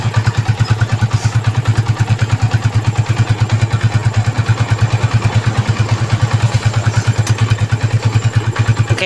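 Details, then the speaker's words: Yamaha Vixion (Movistar) single-cylinder motorcycle after seizure from running out of oil, first start after rebuild with new cylinder block, piston, valve seals and gaskets: steady, even thump at idle with no knocking or tapping; sounds solid and smooth, normal idle. "untuk suara mantep banget guys, adem."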